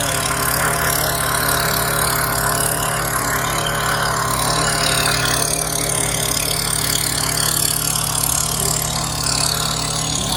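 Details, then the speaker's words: Generac 3100 PSI electric-start gas pressure washer, new, water flowing, just started: small engine at steady speed with an even uninterrupted drone, no knocks, misses or surging; normal engine run. "So basically, it says here that we want to hold down the button for 3 seconds to wake it up. Seems like that's 3 seconds."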